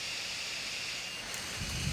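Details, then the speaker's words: Vicks cool-mist humidifier with an oversized replacement blower fan: loud, steady rush of air with a high hiss, blowing humidity hard but far too noisy to use. Fan overspeed from an oversized motor. "Yes, it blows humidity ridiculously out the top of the machine. However, it's just way too noisy to be used."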